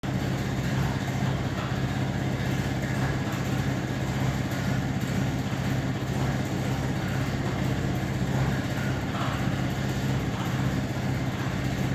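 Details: Trade-Wind exhaust fan with ball bearing motor: heavy rough low rumble and rattly churn, very shaky worn motor bearings.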